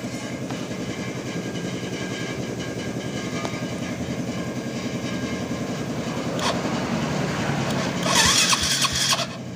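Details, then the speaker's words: Yamaha Vega with double-starter problem, reinstalled starter motor on the same battery that starts other bikes: starter whirs sluggishly and unevenly, trying to turn but too slow, never catching; slow cranking, owner suspects the battery is too weak for this bike. "Nyalakan mesin, dengarkan dengan saksama. Ia ingin berbelok, tetapi gerakannya lambat."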